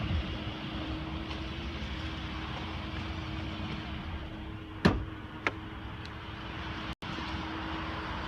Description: Whining noise made by transmission Ford 2014 F-150 whining transmission.